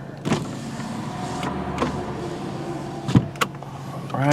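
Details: 2005 Kia Spectra EX 2.0L sedan with 146,913 miles, running: a smooth, steady power window motor hum carries the glass through its travel without grinding or straining and ends in a clean stop. The window works normally.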